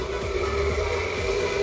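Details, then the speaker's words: EPC Typhoon 18-inch (450mm) 4-blade industrial fan with a 4-step regulator: a steady motor hum with a rough, uneven rumble and a ringing tone. The bearings are worn and need lubrication; the replaced capacitor is fine. "fan is sounding too much. Means the motor is sounding badly because the bearings are garbage."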